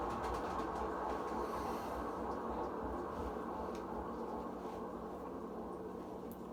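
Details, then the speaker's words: Kenmore laundry center washer: low steady rumble with a dull whir continuing as the tub coasts down after stopping; worn tub bearing. "like listen to the noise every time when you're running the washing machine you can hear how loud the bearing was of course"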